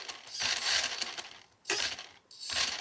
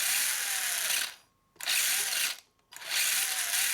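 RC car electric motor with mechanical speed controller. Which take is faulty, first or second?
first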